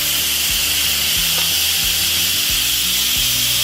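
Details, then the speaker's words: Instant Pot Ultra 8 Qt after water test, quick pressure release button pressed: loud steady hiss of steam escaping until pressure is gone; normal quick release. "You can hear the steam escaping, and it is slowly letting go of that pressure."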